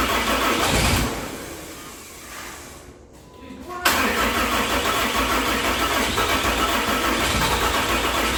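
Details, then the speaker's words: Hotshot truck with swapped used 6.7 Cummins, much fuel already dumped, batteries low: steady cranking about three turns a second, a lull, then it catches with a rough roar, runs a second and dies; starts briefly then stalls. "Shoot. She ran. She ran for a second. That gives me hope."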